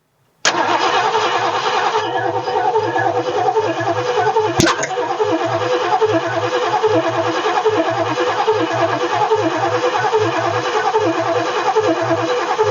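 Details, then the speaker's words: 1967 Ford F100 small-block V8, first start after sitting 29 years, fed from a fuel bowl with the tank disconnected: cranks, catches, then settles into an uneven, stumbling rough idle. "oh yeah sir I think we got the runners you ain't running the greatest well she runs she runs"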